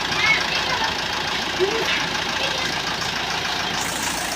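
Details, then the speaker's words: 2017 Mitsubishi Strada 4D56 common-rail diesel with water in the fuel, after repairing a damaged injector and bleeding the fuel: steady, even diesel clatter with no stumbling or misses; normal diesel idle. "So umandar na guys. W na may chickening lang. Okay ayan. Okay na guys. Umandar natinung unit. sa wakas na-solve natinung problema injector."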